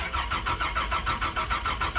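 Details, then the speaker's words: Turbo FZ-engine car with newly wired ECU: starter cranks steadily about five beats a second with uneven popping catches but never runs; misfire because the coil pack wiring was connected backwards. "so I noticed I had all the coil pack wiring somehow backwards and then when it was trying to fire before and it was misfiring"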